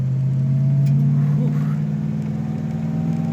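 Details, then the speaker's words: 1955 Chevrolet Bel Air driving on the road, just revived after years in a field; sudden rattle and choppy shake on the low engine rumble, heard from the back, where two wheel studs were lost on one rear wheel and three remained. "all of a sudden it really rattled and I could hear the back so we pulled over and we lost two wheel studs on one of the back fields but thankfully three we're still hanging on"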